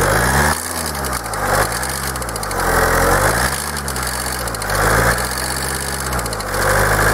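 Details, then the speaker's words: Kia 2.0 CRDi Bosch common-rail diesel, hot, at idle: hard fast rattling knock over a surging hum, heard throughout the engine; a stethoscope could not locate it, and unplugging each injector changed nothing; cause unknown. "ah tak próba ustalenia słuchawkami Puść gaz Niestety była niemożliwa to stukanie przenosi się tak jakby po całym kurczę silniku i nie ma na żadnym wtryskiwaczu zmiany"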